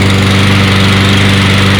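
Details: Toro 22-inch Recycler mower after reassembly, burning off excess oil with smoke: small single-cylinder ticks over at a steady, even idle with no misses or surging; normal idle.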